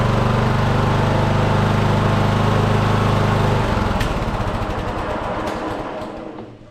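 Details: Riding mower single-cylinder engine after welded starter repair: steady fast even chug, smooth wind-down at shutoff; runs fine, with a small valve cover oil leak causing brief smoke at startup.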